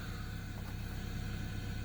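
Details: 1996 Toyota Camry sitting about five years, running after the main fuse fault was temporarily fixed: quiet, even, low idle hum, steady with no misfire or surging; normal idle.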